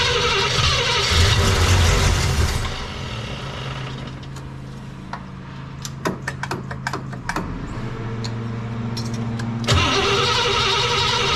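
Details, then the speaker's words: Cadillac 390 V8, only a little fuel poured in bowls: starter churns, pauses, spins again, never catches; owner suspects carb not getting fuel yet, plans starting fluid until fuel pulls up. "I don't think it's getting any uh fuel yet and I'm out of fuel in my little can here"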